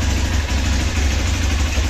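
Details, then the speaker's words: Hero Xpulse 200 4V motorcycle cold-started after sitting about one month, silencer cold; steady, even fast high idle with low drumming beat and no misses, expected to settle toward 1000 rpm before shutoff; normal cold high idle. "आप देख सकते हो bike अभी ideal तो होने वाली है जब 1000 आरपीएम पे ए जाएगी तब इसे बैंड कर देंगे"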